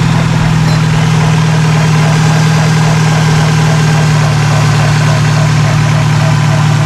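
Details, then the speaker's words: 2003 Dodge Neon, manual, first start after timing belt and water pump replacement: loud steady idle with a faint, uneven rub on the low drone; plastic timing cover rubbing on the belt tensioner. "okay well it's running but it's not happy sounds like something is rubbing inside the timing cover"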